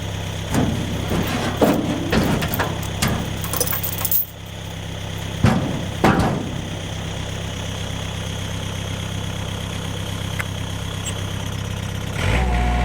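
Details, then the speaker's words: 1964 Ford F100 inline six with header and dual pipes, before timing adjustment: low throbbing lumpy idle with occasional stumbles amid handling clatter; stutters, around 55 has issues; owner suspects timing, not confirmed. "I want to time it it's stutters a little bit and like 55 it has issues but it does have a header and a dual pipes on it it's got the inline six-cylinder sounds kind of funny"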